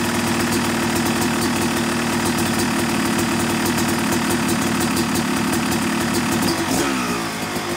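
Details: Yamaha YZ250 two-stroke motocross bike (250cc/270cc) at break-in after a year-long full engine rebuild of bottom end, transmission, bearings, clutch and power valve, new seals; crisp, busy idle with quick light blips, even return; normal, healthy.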